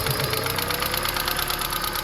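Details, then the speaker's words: Toyota Prius after chasing a P0304 cylinder 4 misfire with popping noise (coils, plugs, injectors replaced): now an even, steady idle with light regular ticking, no stumble, back to normal. "Now it's back to normal, man."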